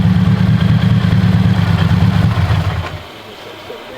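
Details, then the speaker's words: Roughly 800 hp Subaru Forester on a stock motor, restarted after it blew with a visibly broken connecting rod, reportedly no oil; deep, uneven knocking rumble at idle, about three blows a second, then it dies away. "can't hear my turbo. Oh my god. She doesn't sound too hot right now."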